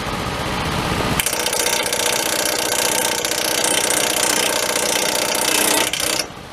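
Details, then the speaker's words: Small engine: catches after a second and runs at a loud, even, busy clatter for five seconds before cutting off; normal running. "And that sounds good. Started. This will be the first start of the year."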